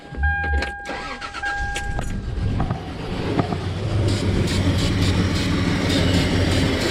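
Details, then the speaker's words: Toyota 4Runner after owner's DIY head replacement: cranks and catches, then uneven loping stumbling idle; misfire on one bank, maybe cylinders 4-6, from vacuum leak, suspected upside-down throttle body gasket, checked with brake cleaner. "yeah sounds like a vacuum leak misfire on One Bank it sounds like four five and six so that might not be a bank four five and six we'll have to see definitely sounds like a Miss though"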